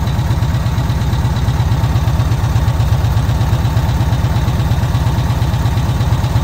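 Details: VW Kombi flat-four petrol engine on its carburettor after the jet (chicre) was swapped and the air adjusted on restart: a steady, even thrum with no misses, pops or knocks; normal idle.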